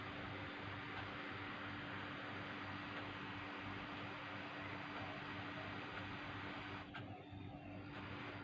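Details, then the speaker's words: MSI laptop fan, removed and cleaned, tested on a bench power supply: quiet, steady airy hum with a constant low tone, no ticking or scraping; the fan runs normally and is usable. "Yeah, fan is spinning very nice. Yeah, no noisy. So if it's no noisy, yeah, we can use."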